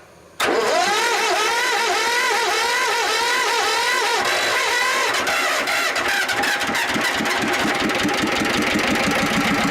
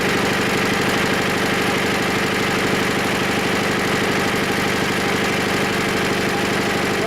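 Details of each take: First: Diesel engine with glow plug, unstarted for about 3 months, at about 5 degrees: several seconds of cranking, then it catches and settles to a rough rattly idle. Cold start is hard because the glow plug gives too little heat. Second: Diesel engine just started after about 3 months unused at about 5 degrees: steady even idle clatter at about three beats per second, no misfire or knock. Runs normally once running and making its own heat.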